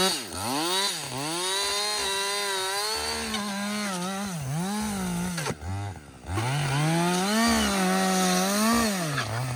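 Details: Husqvarna 562XP 60cc chainsaw, reflashed by the shop after dying when hot, not starting and stumbling, bucking dead windfall about two-thirds into a tank: screams to full revs, holds speed cleanly through each cut, drops smoothly to idle between cuts; healthy.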